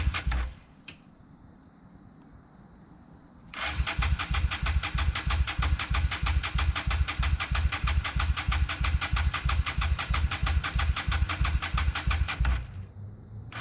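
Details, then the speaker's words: 1998 Honda Shadow 750 ACE, sat outdoors over 5 years, cranking after cleaned carburetor refitted: about nine seconds of steady starter chugging, near three pulses a second, never catches; owner thinks it isn't getting fuel, may check the tank. "okay well as you can tell nothing happened and now I don't know it kind of seemed like it wasn't getting fuel"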